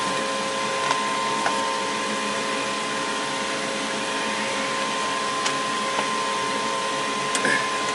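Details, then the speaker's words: Goodman gas furnace after replacing the exhaust blower assembly: smooth even whir with steady tone, no rattle or scrape; new inducer runs much quieter and healthy. "all right let's see what it sounds like now a lot better than me"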